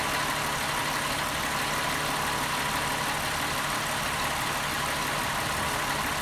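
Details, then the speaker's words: 2001 VW Jetta MK4 12-valve VR6, first start after replacing the intake manifold shifter rod to cure a clacking noise, engine not yet warm: even, steady idle with no clacking or knocking, running smoothly. "actually feels like it's running smoothly sounds good wait for it to warm up before i give it some reds though"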